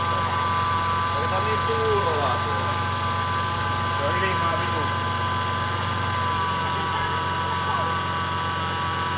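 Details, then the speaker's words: BMW E30 M52 turbo engine idling on first start after rebuild: steady high whine that doesn't settle; power steering pump still pulling air through foaming ATF, being bled by letting it pump and turning lock to lock. "Just let it pump. I did break mine. it's still making sound."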